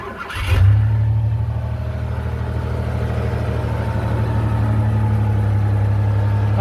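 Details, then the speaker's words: 1990 custom Ford Bronco II: the engine catches and settles into a fast, steady idle with a smooth low drone and no knocks, pings or pegs. The high idle is from a vacuum leak not yet found. "I do have a vacuum leak because it runs high idle, and I have yet to find it."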